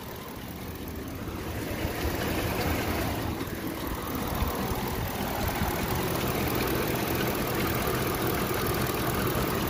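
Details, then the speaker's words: 2010 Ford Expedition 5.4 with codes P0016 and P0346 at idle: a light, regular tick about three times a second from the front. Suspected timing chain fault such as a broken chain guide. "The truth is that my diagnosis is going to be more like something in the chain."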